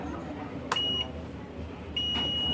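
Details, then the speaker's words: CRT TV with China kit PCB: steady high-pitched beep in two bursts through the speaker over a low hum; beep should not be present, audio section shorted. "तो audio में यह beep की आवाज आ रही है आप सुन सकते हैं बी की आवाज"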